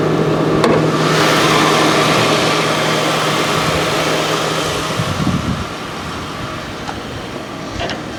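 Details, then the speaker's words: Police interceptor at a Copart auction with 69,000 miles, recorded at the open hood. Smooth, even idle with a steady hum, no ticks, knocks or belt chatter. The belt is not vibrating and the pulley looks good; normal idle. "The engine does look a little dirty, I'm not gonna lie, but the belt's not really vibrating. That pulley looks good."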